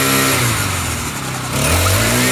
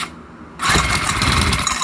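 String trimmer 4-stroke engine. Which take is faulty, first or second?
second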